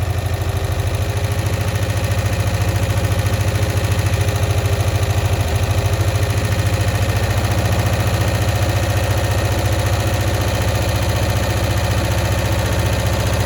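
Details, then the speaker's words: 1965 Cushman Truckster small twin, sitting one year, just started on choke: fast, steady low idle pulse with a faint hollow sucking while mixture screws are adjusted; owner suspects a stuck float and tries to free it. "okay so what I'm trying to do here is I'm adjusting the mixture screws to try and get it to run at optimal performance and at the same time it sounds like it might have a stuck float so I'm trying to get that float unstuck at the same time"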